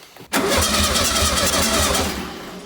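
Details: 1966-67 VW Beetle 1500 after long storage, cranked out of gear on old yellowed fuel before the fuel filter and line were replaced: the starter catches at once and spins with an even churning beat, and the oil pressure light goes out quickly. Starter cranking is normal.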